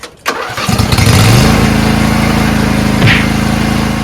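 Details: Riding lawn tractor after installing a new UPLUS U1 12V AGM battery: quick strong crank catches within a second, then a steady even idle with no stumble; healthy start.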